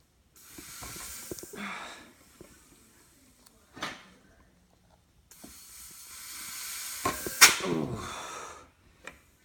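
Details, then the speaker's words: Buell Blast 500 engine out of bike, leak-down test from top dead center at about 15-20 psi after transmission repair and no-run: bursts of air hiss, pressure still pushing off the wrench; compression leak, poor compression. "obviously you can tell it's leaking by I've still got enough pressure to push me off the wrench"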